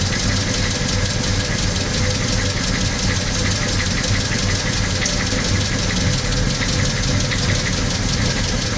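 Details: VW Gol CL 1.6 AP, cold engine: loud, fast ticking clatter over a rough cold idle, steady throughout; mechanical top-end noise, cause uncertain.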